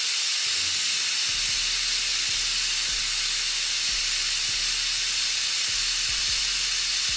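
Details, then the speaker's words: Autoclave after a tattoo-grip sterilization cycle, at about 26 minutes with power cut: the deflate valve is pulled. A very loud, steady, high-pitched steam hiss continues as the chamber pressure vents, which is normal depressurization. "So it's still releasing its pressure, and we're still at about 26 minutes, give or take. So we are in the recommended field. And as you can see, that was very, very loud."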